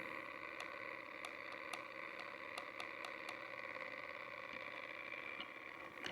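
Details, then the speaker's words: 100-year-old 1923 Victor Victrola spring motor (34 ft spring, worm-driven governor, crusty old grease, speed brake backed off) spinning unloaded: light high-pitched whirring with faint clicks as the governor turns; freewheeling. "Look at that governor going. If I were to crank the screw in, actually out. Right now it's freewheeling."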